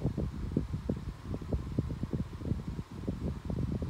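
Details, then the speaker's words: Galaxy 12-inch table fan, nearly four years old, on medium speed: an uneven low rumble with soft thumps several times a second, a bearing noise heard on low and medium speeds; motor bearings likely dry or worn. "but you can kind of hear the bearing noise just make a big bearing noise on the lowest and medium speed and it kind of bothers me sometimes at night"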